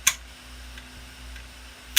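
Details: Laptop hard drive at startup: two sharp, isolated clicks about two seconds apart over a faint hum. This suggests a failing hard disk, possibly a damaged read/write head.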